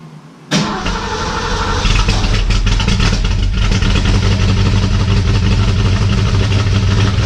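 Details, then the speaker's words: 1967 Mustang 289 V8 after rebuild, second start with plug wires corrected to the counterclockwise distributor rotation. Cranks briefly, catches easily, settles into an even steady V8 idle; smoke expected from antifreeze spilled during heads-off work. "whoa finally actually not finally it started super-easy they started so sweet"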